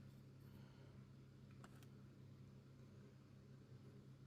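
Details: Artillery Sidewinder X2 3D printer after replacing extruder stepper motor with failed bearing, extruder bearing and plastic gear, printing with 0.6 mm nozzle: steady low motor-and-fan hum, no random extruder clicking.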